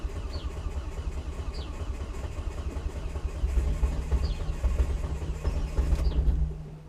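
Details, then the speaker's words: Volvo S40 with Holset HX40 turbo on new Speeduino ECU: steady starter cranking that never fires; ECU reads no engine speed, fuel smelled; crank sensor polarity suspected to be wired the wrong way, timing somewhat out. "definitely got fuel because i can smell the fuel so that's happening i think it is purely purely down to the crank sensor"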